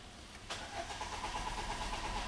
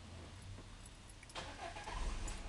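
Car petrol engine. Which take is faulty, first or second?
first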